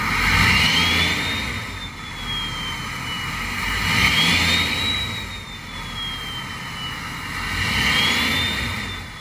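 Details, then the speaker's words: Ford 6.7 Powerstroke diesel, listening at the exhaust while revving: constant loud hissy hair-dryer whistle rising to about 3–4 kHz with each rev, from VGT turbo vanes stuck closed (high boost, low power); fix is freeing the stuck vanes. "you can actually listen to the exhaust and if you listen while i rev it you'll hear the veins are stuck closed it's a hair dryer whistling noise constantly listen to this"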